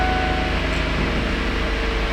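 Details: 2008 Ford Edge towed in with no crank and a flashing security light, after the key and security were reset: starts and idles with a smooth, even low hum, steady tone, no knocks or misses. Normal idle.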